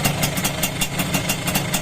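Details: Suzuki X4 with stock exhaust after overhaul including connecting rod work: steady even idle of about five crisp pulses a second, no knocks or rattles; quiet, healthy engine.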